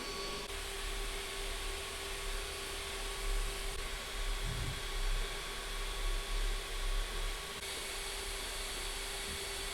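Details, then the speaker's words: Creality Ender-3 Max Neo 3D printer printing, part-cooling fan just kicked in and noise got louder: steady airy whoosh with a constant high whine, normal fan sound. "And also I just heard the parts cooling fan just kicked in and it got even louder. So yeah, there is quite a lot of fan sound."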